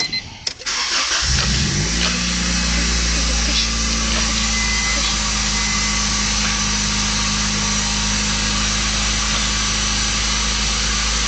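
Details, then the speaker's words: 1990 Honda Accord with new distributor, plugs and wires, fast idle adjusted and cooling system bled, just started before the idle air control valve is replaced. Catches fast and holds a steady idle over 1,000 rpm, where 500–800 is expected. Faulty idle air control valve. "right now it's idling way too high. It should be under 1,000, anywhere from 500 to 800."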